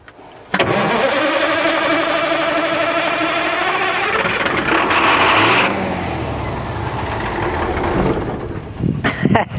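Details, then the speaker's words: International Transtar 4300 semi diesel that sat about 20 years, first start without ether: brief crank, then catches and settles into a steady, even rumble with a slight rev and some smoke; normal cranking and start. "I got it that's awesome that wasn't even no ether so yeah we're getting some smoke that is crazy man"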